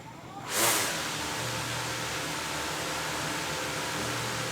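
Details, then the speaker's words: DJI Mavic Air 2 with blue Master AirScrew stealth propellers, compared to orange set that vibrated and moved the drone: soft, even whirring hum after spin-up, no wobble or rhythmic buzz, drone stays still; props balanced, normal. "So as you can see, the blue propellers, there's no problems at all. It's just those orange propellers for some reason."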